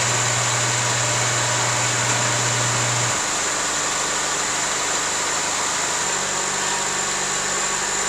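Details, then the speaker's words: Honda CR-V with intermittent fuel pump relay problem: after grounding the relay's negative terminal, steady engine hum settles to an even idle with no miss or hunting; runs fine, no check engine light, no codes on scan tool. "runs fine there's no check engine light there's nothing wrong"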